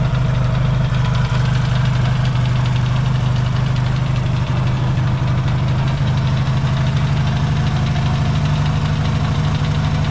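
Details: Yamaha XS650 twin, cold start in an unheated shop, points not yet properly adjusted: deep, loping idle with even low thump, no rattles or misses while warming.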